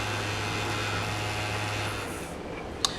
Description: PlayStation 4 CUH-1115A Repair and Refurbish. This console was overheating as a result of a bad fan.